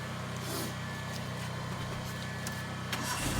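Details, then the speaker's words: Old car with a dead battery, first start after charging the battery at home: low steady even idle hum with no misses or knocks; engine idling normally, though the car reportedly has other complaints. "വണ്ടി സ്റ്റാർട്ടായി. നമ്മളെ വണ്ടി test ഡ്രൈവിന് ഒന്ന് ഓടിച്ച് നോക്കട്ടെ."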